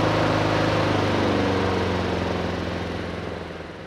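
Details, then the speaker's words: Neglected Honda Harmony II HRS216 mower after carburetor service and tune-up, choke off: even steady putter about three to four beats a second, no stumbles or knocks, then fading down; runs cleanly. "Oh, bật nhiên liệu trở lại. Âm thanh hơi yếu nhưng kéo đầu tiên không tệ."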